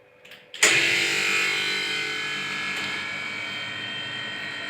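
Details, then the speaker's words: Compressor refrigerated air dryer tested after servicing: timed drain valve opens for a few seconds, giving a sudden sharp hiss of air that settles into a steady blow-off, then closes. Normal drain valve operation. "هو الصمام بيفتح في اللمض اهي وقفل تاني لمده بيفتح لمده ثواني ويقفل"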